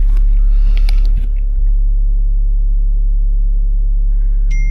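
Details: BMW X5 diesel idling in rain: steady low rumble with a faint uneven beat; fuel pump fault code, stalls after revving, then restarts; cylinder 6 injector activation flagged; rough running, injector suspected, unconfirmed.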